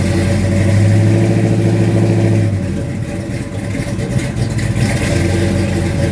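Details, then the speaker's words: 1972 Mustang Mach 1, rebuilt 351 Cleveland Cobra Jet V8 with Wolverine Blue Racer cam (510/536 lift, 290 duration), not yet warm; brief blip to about 2,000 rpm then drops back to loping, choppy idle; normal lumpy cam idle. "So it's got the Wolverine Blue Racer cam in it, and here are the cam specs."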